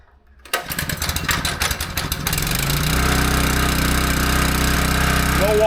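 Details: Small-engine pressure washer after replacing the failed check valve in the soap injection system, with no more water running from the soap dispenser: after a rough start-up it settles into a steady, even drone with no surging or misses. Normal running.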